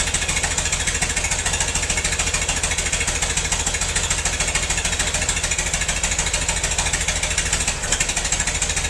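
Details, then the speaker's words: Massey-Harris 44 tractor stored about 10 years, new points: lumpy, uneven chuffing about three beats a second with missing pulses; cylinders 2 and 3 not firing, owner suspected stuck valves, plugs or wires; a stuck intake valve was found. "I checked it out. 2 and 3 cylinders aren't hitting. Either got some stuck valves or bad plugs or bad wires."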